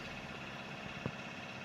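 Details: Hyundai Xcent diesel, previously knocking with starting trouble, black smoke and low pickup, after cleaning jammed injector nozzles and clearing the warning light by scanner: even, steady idle with only two faint thumps. Now runs normally.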